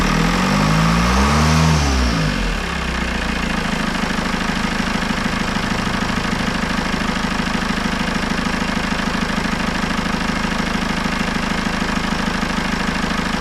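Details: Citroën C4 Grand Picasso 2.0 Blue HDi 150 diesel, after head gasket failure and engine refit: after a brief rev settling, ticks over at an even, steady rhythm with no misses or knocks; normal clean idle.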